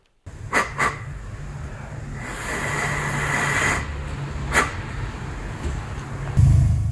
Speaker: okay so you can hear that the car is idling away happy as can be